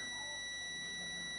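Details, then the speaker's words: Stick welder transformer primary winding tested with a multimeter on continuity: clean continuous high-pitched beep with no dropouts and very low ohm reading; primary winding intact. "so i want to test between the two as you can hear the buzzer beeping it's got a very very low arm reading"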